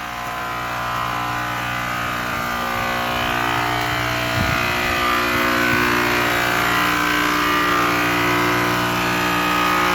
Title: HVAC system loud noise